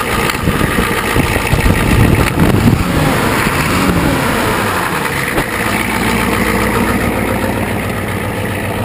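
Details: 1985 Ford 6.9L IH diesel after long cranking hard start, sat about 5 months, glow plugs disabled (controller failing above 45F), owner suspects somewhat low compression: uneven, lumpy cold idle clatter with irregular beats; rough cold diesel idle.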